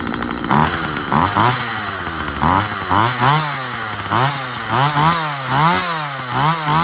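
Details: Husqvarna 136 chainsaw after carburetor cleaning and adjustment: two-stroke buzz rises and sags repeatedly as the chain bites and clears the wood, revving cleanly and recovering; normal cutting.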